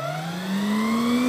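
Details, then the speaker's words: T-72 tank alternator/starter motor first bench test, going up to 24 V: clean rising whine climbing smoothly as it spins up, no grinding or catching; healthy starter free-running. "now we just got to try and fix the alternator SL start motor first test of t72 starter mot starting on"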